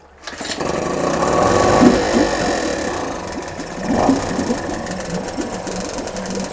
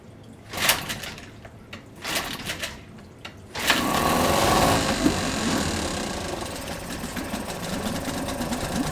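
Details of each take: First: Two-stroke Yamaha 5 outboard, motor No. 2 of three, checked after No. 1 worked well; cooling water clean. Buzzes evenly after catching, with a brief rev and steady rattle-free beat; works fine. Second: Yamaha 5 two-stroke outboard No. 1, pull-started on internal tank with choke closed and throttle slightly up: a few sharp pull strokes, then a fast busy buzz; idle speed set too high, lowered, check-port stream confirmed.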